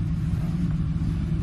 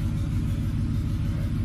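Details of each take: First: 2007 Ford F-150 5.4L 3-valve V8 at no-load idle before repair, code P0302: deep rumbling idle that stumbles and lopes, a dead misfire on cylinder 2 caused by a loose spark plug, with a smell of fuel. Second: 2007 Ford F-150 5.4L 3-valve V8 with a cylinder 2 misfire (P0302) caused by a loose spark plug, now fixed, idling to clear out. Deep, even V8 idle with a steady pulse and no skips or stumbles; all cylinders firing cleanly.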